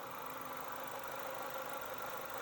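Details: Nissan Livina X-Gear L11 HR15DE after an engine rebuild, first start after refilling oil, coolant and CVT fluid: quiet, smooth, even idle with no knocks or ticks; the engine is running healthy, a normal idle.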